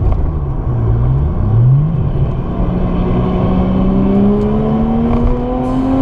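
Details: JZX100 with 1JZ engine during laps on the C1 after misfire episode: revs climb cleanly and evenly with no stumble or popping once the misfire stops around three minutes in; normal running under acceleration.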